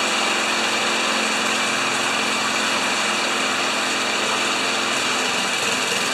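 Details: Old Tecumseh engine on a probably 1987 Craftsman Eager 1 mower, stored in a shed 20 years, after homemade repair: steady high even buzz, no surging, misfiring or rattles; running healthy.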